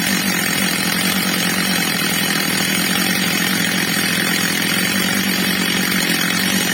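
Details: Stihl MS230 chainsaw, old and well-used, after replacement carburettor fitted and tuned (H screw set a bit below ~14,000 rpm): constant high-pitched scream with no surging or bogging, holding top speed smoothly; well tuned.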